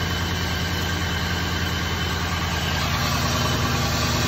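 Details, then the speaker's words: 2001 Cadillac DeVille with codes P0351 and P0303, slight smoke and an oil leak: idle running a little rough with an uneven lope, about three stumbles a second; suspected misfire from worn plugs and a bad ignition coil. "So as you can see, it's running a little rough. So we're going to go ahead and see what we can fix today."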